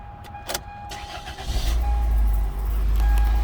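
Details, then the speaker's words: 2002 Toyota Corolla with clean oil, cold start: brief crank catches within about a second and settles into a smooth, steady low idle; a clean healthy start. "Fire right up. Sound good."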